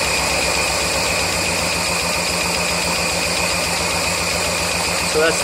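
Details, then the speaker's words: 1999 Mazda Miata at idle, ticking began after track sessions and persisted after valve lash set to spec and oil change; light quick tapping over a slightly uneven beat, loudest above #4 spark plug, source unconfirmed. "this is with all 4 cylinders running. Hear that tapping right there? And if I rev it, usually gets a little louder when it comes back down."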